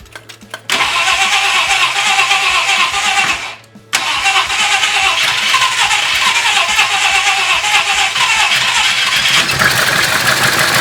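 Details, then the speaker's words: 1966 Ford Country Sedan, stock 390 FE big block after a performance cam install: cranks, catches, nearly dies, then idles roughly from a large vacuum leak at the brake booster. "Brake booster, that's a big vacuum leak. Let's try that again. Might run a little bit better without this big vacuum leak."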